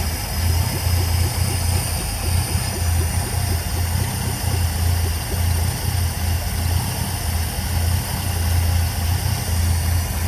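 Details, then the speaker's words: 1959 Cadillac that has sat for a couple of years, accused of knocking; loose, shot mufflers and a vibrating air cleaner, slight power steering pump noise. Low, even idle with a steady exhaust pulse, no ticking or knocking; bottom end healthy. "But as you guys can hear, there is absolutely no noise in this motor."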